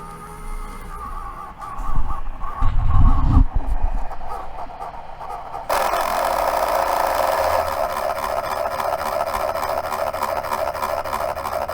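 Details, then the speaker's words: Dell Inspiron 15 laptop, dropped, running Windows updates: noise suddenly starts from the CPU fan, loud steady rushing whir with raspy edge; fan reportedly stops when driven to full speed; failing cooling fan. "the sound has begun it just suddenly started it's definitely from the cpu"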